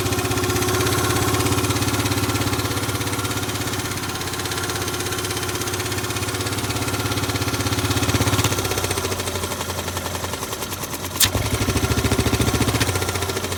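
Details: Grand Majesty SG15 scooter, 30,000 km, oil changed every 2,000 km, idling and blipped: fast regular ticking over the engine hum that follows revs, appeared suddenly; owner hopes AIS pipe exhaust leak but suspects crank or head area.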